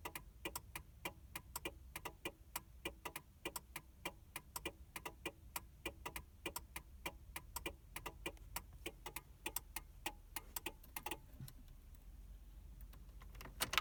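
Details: 2000 Mercury Cougar after battery replacement, no crank: rapid run of sharp clicks, about a hundred a minute, when opening the door or trying to start; PATS immobilizer issue, fixed by new key fob battery and lock/unlock presses.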